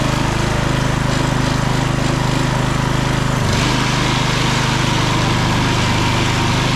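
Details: Husqvarna HU 625HWT four-stroke string trimmer after repair and cleaning, with a new front bolt and nut, final test run: buzzes at a steady fast beat, even and smooth with no misses or knocks; normal running.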